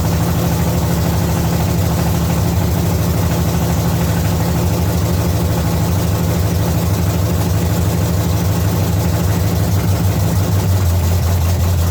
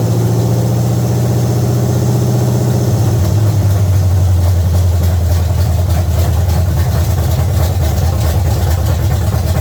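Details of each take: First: 1970 Chevy C10 small-block V8 being set up with new parts: steady but slightly lumpy idle that sags lower toward the end; idle speed too low, and the owner wants more idle and a little less timing and suspects the transmission was in gear. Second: 1970 Chevy C10 305 small-block V8 with new intake manifold and carburetor, timing still to be set and distributor clamp fitted upside down: deep even burble settling to a slightly lower steady idle, no misfire or ticking; running normally.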